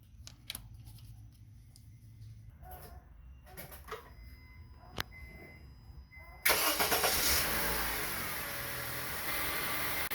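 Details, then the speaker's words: 2008 Honda Civic after replacing the failed starter motor (previously no crank): quiet handling noises, then engine catches at once and settles into a steady, even idle; clean, healthy start. "Car starts again..."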